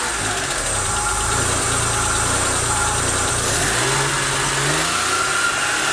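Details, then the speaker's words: Daewoo Matiz that arrived on a tow rope, intake hose removed: rough uneven running, then a rev rising in pitch with irregular knocking and heavy smoke; barely started, internal engine fault suspected, cause undiagnosed. "Ну, в общем, вы услышали, довольно нестабильная работа. Завелась она вообще каким-то чудом."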